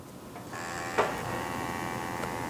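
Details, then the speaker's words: Porsche 3.2 Carrera idle air control valve, new replacement part bench-powered: faint click then steady thin electric buzz and ticking, valve about halfway closed and flickering, slightly noisier than the old one. Normal IAC valve operation; engine idles about 200 rpm high. "it's vibrating doing the same sort of thing as the other one the little ticks tick tick tick it's a little noisier certainly but it looks like it's doing the same thing as the other one"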